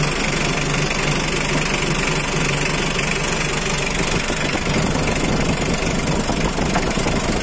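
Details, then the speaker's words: 2009 Mitsubishi L300 power-steering pickup, with the engine bay shown during a sale walkaround: even diesel clatter at a steady idle with no misses or speed hunting, so the engine is idling normally. "Untuk bagian mesin, silakan amati sendiri. Untuk suara mesin, suara saya mungkin akan terdengar berisik bercampur dengan suara mesin, saya akan diam sejenak agar Anda bisa mendengarkan."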